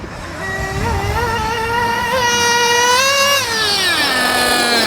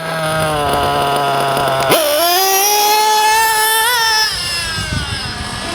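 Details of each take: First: JQ Products THERTR nitro engine during break-in at the track after mixture tuning: a high buzzing note climbs steadily then holds clean and even at top speed with no sputter; normal high-rpm run, pulling strong. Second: JQ THE TRTR nitro engine during break-in: buzzy idle, then on acceleration it stumbles and climbs slowly with lots of smoke, meaning the low-end needle is too rich before being leaned; rich low-end mixture.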